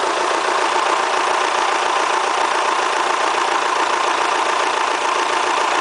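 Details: Kia Spectra petrol engine, 90,000 km mileage, idling with a hard, rapid ticking clatter much like a diesel. The owner asks whether it is critical; the cause is unclear.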